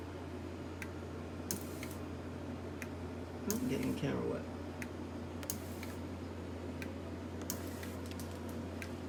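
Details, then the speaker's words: High-pressure aeroponic system with accumulator tank, pump and pressure switch: misting solenoid on a timer set one second on, one second off, clicking about once a second with short spray hisses over a quiet pump hum; cycling normally. "so i like that one second on set again and one second off and then i'm gonna hit confirm and now it should start clicking on one second"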